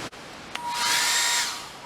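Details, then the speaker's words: Hair dryer run on an RV inverter from a 13 V battery bank: it roars up, holds under a second, then sags to a faint whine. Owner expects an OLP error; no bad battery cell was found, so the inverter is suspected to be failing. "no doing the same thing assuming we're going to get that olp error"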